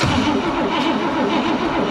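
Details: 1961 Cadillac 390 after oil leak repair, before cam break-in: steady starter churning with uneven puffs of firing that never catch; cranks but won't start, no oil pressure seen.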